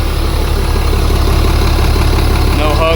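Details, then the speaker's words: Likely 2004 International 4400 DT466 diesel truck that sat unused, idling after fuel additive: steady diesel clatter at an even beat about 2.5 per second, earlier slight miss now gone, no chugs or putters; normal smooth idle, though heavy blowby remains. "It's idling pretty good now. Nice and smooth."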